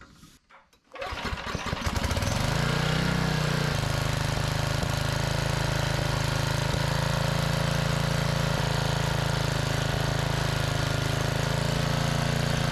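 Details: Generac 5000 W generator pulled from the trash, on a new carburetor: fires after a couple of pulls and settles to a steady drone whose pitch shifts slightly as the engine speed is trimmed to reach 60 Hz.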